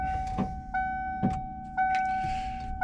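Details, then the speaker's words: 1994 Ford F-350, key turned at start: single sharp clicks about once a second over a steady warning chime, no cranking; starter engages but won't turn, usually works after a few key turns; cause not yet diagnosed. "the click. That's the other thing I gotta do is figure out what's going on with the starter, but separate video."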